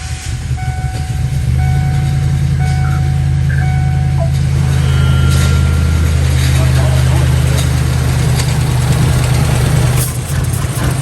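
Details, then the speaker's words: 1997 Lincoln Town Car Signature, sat 2 years after timing chain failure: loud, lumpy idle with heavy low throb; coils spark but pulling plug wires on one bank changes nothing, so that bank isn't firing; owner suspects fuel starvation. "so we've got lots of fire coming out of these coils but when we pulled the number one or that first one it comes over here and there's nothing it doesn't change the way the motor runs at all"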